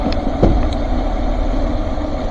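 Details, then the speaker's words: 2020 Chevrolet Express 2500 van, 4.3 V6, automatic RWD, 78,732 miles, just after start: low uneven idle rumble that sags and labours instead of holding steady; idle dropping, cause not yet known. "Then she starts to bog down. There we go. The idle starts to drop."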